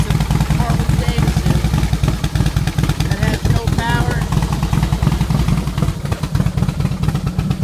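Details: Harley-Davidson Softail running normally after a corroded ignition switch contact was fixed (it had no fuel pump or ignition power before). Deep, even V-twin thump with a steady beat and no misses or clatter.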